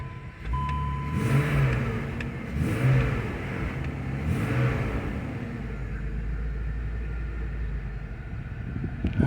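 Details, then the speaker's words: 2005 BMW X5 V6 right after fuel pump replacement: engine catches quickly, revs up smoothly and settles to a steady, even run with no stumble or misfire. New pump works, running healthy. "right sounds like I have to look a pump works all right we'll go ahead and uh take it for a spin and let it run"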